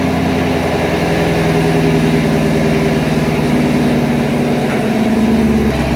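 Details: 2019 Camaro SS, 6.2L direct-injection LT1, after stuck-injector repair and oil change: steady, even low idle with a smooth exhaust note and no ticks, misses or knocks; normal idle.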